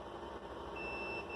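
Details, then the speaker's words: A multimeter set to continuity gives a steady high-pitched beep over low hiss while testing a transistor. It conducts both ways, meaning it is shorted internally and faulty. "देखा, ये अंदर से शॉर्ट हो चुका है, बीप की आवाज़ आ रही है, इसका मतलब है ये शॉर्ट हो चुका है, खराब है।"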